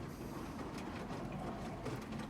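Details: Whirlpool SCW1112 washing machine before repair, drum turning: coarse continuous rumble with rattly clatter and belt slip; drum bearings very badly worn, drum has play.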